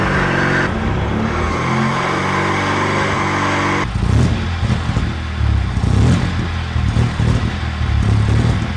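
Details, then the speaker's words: Honda Acty kei truck two-cylinder, just given oil and coolant and fitted with a custom center-exit bike-canister exhaust, revs loud and uneven with a lumpy stumble; fueling is way out and the engine likely needs cleaning after sitting and sucking up junk. "Obviously, I was joking and the fueling is way out and the car probably needs a good clean because it's sat and sucked up a load of junk."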